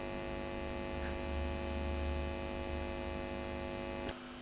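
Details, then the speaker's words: Fender Blues Junior amp hum that starts low and grows louder over minutes of warm-up. A constant low buzzing hum with steady tones; not the caps, but leakage across the valve sub board, which worsens when heated. "I'm afraid this is a problem it's not the Caps it's a problem to do with the valve sub board here so you may be able to hear that background hum watch what happens when I heat up the valve board"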